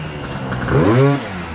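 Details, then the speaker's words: Gilera Runner 180cc two-stroke scooter with a newly installed Smart Carb SC2, mixture leaned out; a quick blip rises and settles to a steady, slightly high idle. Normal idle. "So you hear the idle's higher now because it's leaner."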